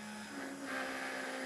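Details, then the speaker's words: Off-road buggy with a Mopar 5.9 (360) Magnum V8, first key-on after new wiring with the engine not running: brief steady electric whirring hum at switch-on as the fuel pump primes normally. "first thing we should hear we hit the ignition switch is the fuel pump yep it's running"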